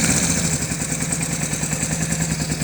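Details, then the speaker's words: Blue buggy, engine just repaired, heavier cam fitted, restarted with a little choke: steady even idle with a slightly lumpy cam beat and no knocks or misses; normal idle. "Fire it up here again. There we go. Listen to that baby purr."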